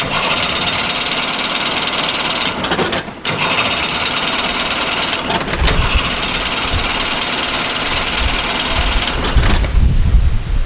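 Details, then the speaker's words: 55HP Chrysler Magnapower outboard on a long-unused boat; fast even starter churn in long bursts with short pauses, never firing, crank-no-start; owner found no spark and can't figure out why, cause unconfirmed. "If the starter spins and everything powers up but the engine won't fire, now we're into the classic no start triage."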